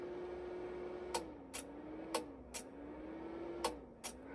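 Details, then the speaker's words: 5.1 digital amplifier switching inputs; quiet hum with sharp relay clicks in pairs as relays go off and on, no voltage thump from the speakers; normal relay switching. "చూశారు కదా అంటే ఇక్కడ మీకు switching అయ్యే time లోని మీకు relays of అయ్యి on అవుతున్నాయి"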